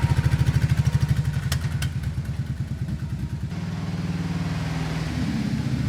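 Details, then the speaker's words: 2007 Kawasaki Brute Force 650 V-twin, 18 years old, idling poorly for six years, run on partial choke, before carb cleaning: uneven thumping with irregular beats and sharp exhaust pops when pulled into garage; misfire and backfire, carburetors suspected. "So, I'm not so sure that misfire really comes through too well on the camera, but you could kind of hear it backfiring a bit when I pulled it into the garage."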